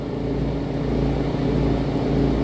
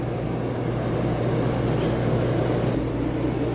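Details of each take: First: RV rooftop air conditioner, after being hit, running with a deep droning rumble and slow throbbing boom-boom pulse: the fan motor vibrates because two of its mounting bolts are missing; fitting them into the rubber grommets stopped the noise. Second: RV rooftop A/C heard inside after fix: steady even hum and smooth airy rush, no rumbling or knocking; earlier rumbling vibration caused by two fan bolts off their rubber grommets, now reinstalled. Normal running.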